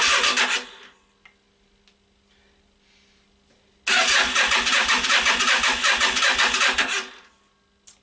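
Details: Yamaha Virago XV 500 cafe racer in snowy cold, ran fine a week earlier, with petrol confirmed: two bursts of steady cranking about three turns a second, no firing pops; won't start, fuel float bowl checked next.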